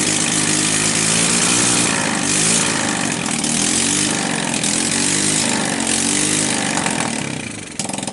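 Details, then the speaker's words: Sunl 110cc ATV idling on choke with a fresh carburetor: fast uneven idle with a constant sharp hiss. Owner suspects a plugged crankcase breather line pressurizing the crankcase; loose head bolts were also found. "I don't know if you guys can hear that hissing sound that probably means yeah my um my crankcase is also plugged up"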